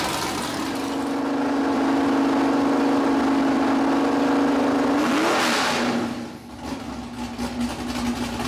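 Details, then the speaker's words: Freshly built 408 LS stroker V8, first oil change clean with no metal shavings: loud, even drone held at high revs, then a clean drop back to steady idle; strong, healthy engine. "all right motor build is complete turned out a lot better than I expected starts right up sounds like an absolute Beast I mean it's deafening"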